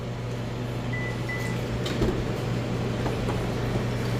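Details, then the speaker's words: 2015 Subaru rear power liftgate after tightening the loose nut: steady, low, even motor hum through the travel with no clicking or ticking. Normal liftgate operation. "wow it looks like the noise is gone guys all I did was uh tighten up that nut right there it was a little loose"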